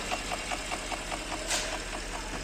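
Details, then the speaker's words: 2010 Porsche engine at idle: even quick ticking about five times a second keeping time with the engine; mechanical tick inside the engine, engine to be disassembled. "صوت هذا صوت. تك تك تك تك تك. هذا صوت."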